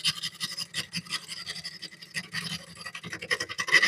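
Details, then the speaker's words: Wood lathe turning a bowl at about 700 rpm: rough, scratchy rasping chatter as the tool bounces across a large hole in the spinning bowl during an interrupted cut. "Well, I can turn the speed up a little bit. Okay. And watch what happens when we go past that part. See, you hear that chatter?"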